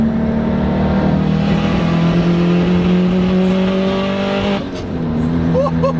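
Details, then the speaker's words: Subaru engine misfiring with a lumpy, uneven note and irregular stumbles; a spark plug gap had opened to 30 thou from heat, plugs set at 25–26 thou, curing the misfire. "well boys the Subaru is misfiring again listen to how bad this"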